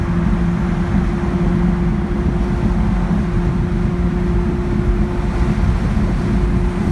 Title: 71 Datsun 240Z misfire